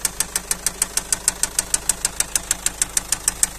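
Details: Car engine at idle: sharp metallic tapping about twice a second, evenly spaced over a quiet idle, a clear knock or tick from inside the engine.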